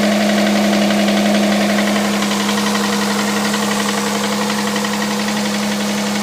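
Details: Hyundai Santa Fe CM, G6EA 2.7 V6, cold idle: steady drone with regular light knocking about four per second; knock in engine, source unclear.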